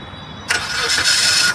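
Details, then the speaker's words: Starting-circuit bypass on a car: starter relay removed from the fuse box and bypassed with a wire to positive; brief whirring crank of about a second, then the engine catches and starts; the starting circuit works again. "देखिए car start हो गई है। Ignition on होना चाहिए।"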